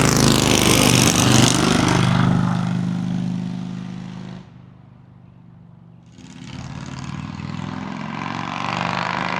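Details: 2003 Harley-Davidson Road King 100th Anniversary with new headers, fishtail exhaust, Andrews 26A cam and ThunderMax: deep, even V-twin rumble swells on a pass-by, fades, returns without misses or pops; smooth, healthy.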